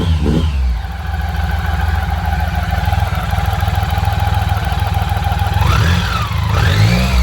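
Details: BMW K75: smooth, even beat of about four pulses a second that picks up cleanly when blipped; the engine is running well.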